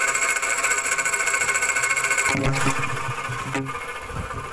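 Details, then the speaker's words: Worn water pump bearing: rough, uneven whirring churn over the running engine, heard through a hose held to the phone mic. Alternator (already replaced) and compressor quiet; the noise is loudest and clearest at the water pump, and it disappeared with the belt removed. "So doon lumakas yung ingay sa water pump, doon luminaw yung ingay sa water pump, bearing yung maingay."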